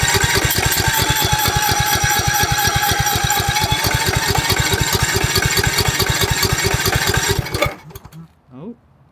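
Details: 2006 Cub Cadet LT1045 riding mower with a high-idle complaint, being adjusted by moving a linkage to a different hole and bending a tab. Its single-cylinder engine pounds with a quick, slightly uneven beat, then dies abruptly; fuel then leaked from the carburetor.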